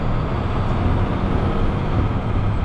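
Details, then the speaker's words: Used snow plow truck with just under 48,000 miles, driven in for inspection: deep, steady diesel rumble with even beat, no knocks, rattles or whine, shifting smoothly; engine and transmission sound healthy, normal running. "engine and transmission wise oh come on struggling here it seems fine it's shifting smooth running out nice sound"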